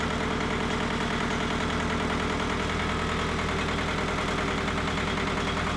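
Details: Mitsubishi MT372 diesel tractor: steady even chug at idle, regular firing pulses, no stumble or hunting; runs cleanly.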